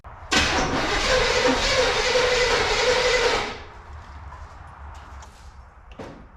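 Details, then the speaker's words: 1978 Camaro Z/28 restoration project, after a distributor swap with top dead centre reset and plug wires refitted, on a temporary fuel can setup: about three seconds of even starter cranking with compression but no firing; it needs a fuel pump. "anything it actually sounds like it has compression now [Music] it's going to run it just needs a fuel pump"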